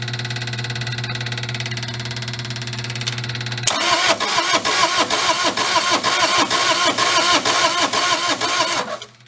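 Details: Mid-1980s Bobcat skid steer, possibly a 642, diesel that previous owners couldn't run; steady hum then about two uneven cranking beats a second for five seconds with no firing, tried with the cable shut-off lever in a different position; fuel system suspected next.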